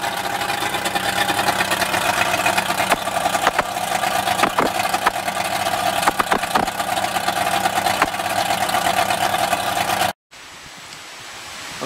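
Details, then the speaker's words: Mercury Bridgeport EFI outboard after correcting previous owners' setup errors that caused low-RPM overfuelling: a steady mid-pitched drone with exhaust puffs and no stumbling. It runs much better, still somewhat smoky, possibly from residual oil. "done a test run on the engine, and it runs a lot better, and it's still smoky, but nowhere near as bad as it was."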